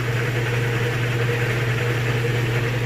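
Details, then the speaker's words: GE top-load washer near full speed on final spin: steady, even low hum with no knocking, scraping or wobble; normal spin cycle. "you can see it sounds great it's running great smooth all the things you'd look for"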